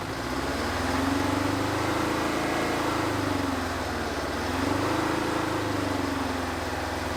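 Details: 1970s Insley H800 excavator's Detroit diesel, freed from seizure after 25+ years sitting, started without ether: even drone slowly rising and falling in speed, firing steadily, no knock or miss. Normal diesel running.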